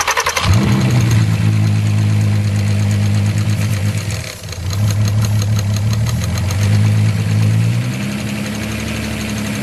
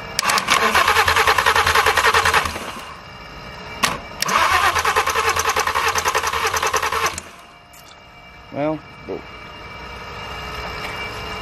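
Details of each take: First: Totaled VW R32 VR6 after it finally started, leaking oil: catches and settles into a steady, even idle with a smooth low rumble and no knocking; runs great; normal idle. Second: Totaled, crash-damaged VW R32 with the starter jumped directly rather than cranked with the key. Two long bursts of steady starter churning at about three compressions a second never catch: it cranks but won't start.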